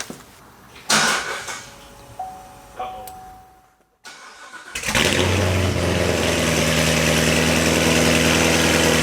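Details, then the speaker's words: C7 Corvette Z06 V8, first start after installing LG Motorsports long tube headers, high-flow cats, X-pipe, O2 sensors, new plugs and oil: fires into a lumpy, raspy idle with choppy cam beat; healthy, factory rasp to be cleaned by Corsa exhaust. "So now the Corsa will clean up that kind of factory rasp. But I like it, you can hear the cams."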